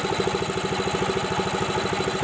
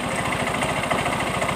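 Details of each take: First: Yamaha Mio M3 125 scooter idling after the worn fan pulley was replaced, listened to from the right side toward the CVT; earlier rough kletek noise (blamed on no CVT grease) gone. Even steady beat, no rattle: healthy idle. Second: Yamaha Mio M3 125 blipped at idle. A quick, loose "tek tek" rattle is heard at the fan area and the CVT case. Blamed on running without CVT grease: worn pulley splines let the pulley clatter.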